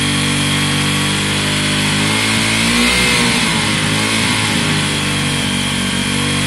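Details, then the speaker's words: Wk RT 125 single-cylinder motorcycle after long running on choke: busy fast high idle with slight wobble, said to be spitting out the last fuel from the choke; cause of high idle suspected, not confirmed. "oh right I see what's that noise we had to choke on so long it would have just been spitting out the last bit of fuel"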